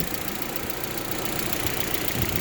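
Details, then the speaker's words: Audi A4 1.8T after an ignition wiring harness replacement, just started after sitting: steady, even idle with no misfire while a finger plugs a vacuum-leak hole under the intake. Dry lifters expected to quiet as it runs. "the engine sounds good as long as my fingers plugging this hole down here under the intake"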